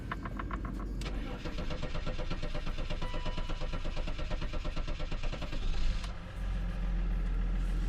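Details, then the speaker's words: BMW M5 (smells of diesel, filter suspected leaking) with an almost-dead battery, started on jumper wires: about five seconds of laboured, dragging cranking before it catches and settles to idle; hard start from weak battery. "yes the battery was almost dead so let it stand for a while well"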